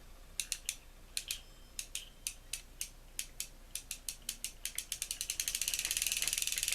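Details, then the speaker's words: Ocean City 920 level wind fishing reel, hand-cranked during service: dry, uneven clicking that catches and hitches from overtightening and lack of lubrication; after loosening slightly and oiling where the bail rides, it turns nicely with no more hitching. "But it turns nicely now. There's no more of that catching and hitching that was going on there."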